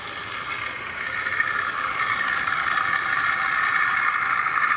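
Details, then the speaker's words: Tri-ang R.152 Class 08 diesel shunter model, ball-race rear bearing converted X04 motor, hauling tanker wagons at scale speed drawing about 0.24 A: smooth, steady high whirr building gently, no ticking, grinding or stutter; running sweetly. "I really am happy with the way that's running now. It's just cruising around there at super scale speed, and it's actually, I looked at the meters earlier, it's drawing about 0.24 of an amp."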